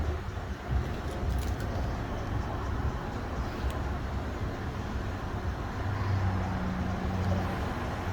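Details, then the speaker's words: Subaru Outback 3.6R, 260k miles, after replacing stock mufflers (left Walker Quiet Flow, right Subaru OEM): low soft even idle rumble, no rasp, drone or leak tick; exhaust now very quiet versus loud before. "wow quiet you can't hear nothing silent like a mouse is coming out yeah it's quiet wow yeah it's all good now"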